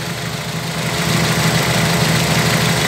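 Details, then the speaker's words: VW G1 carburetted AP engine idling: loud, slightly uneven idle that stumbles now and then; one spark plug cap is corroded and loose, making intermittent contact with visible sparking; cylinder works but the cap needs replacing. "este cable con referencia a la bujía está en falso contacto por decir así fíjense desconecto varía eso me indica que ese cilindro está trabajando pero hay un falso contacto"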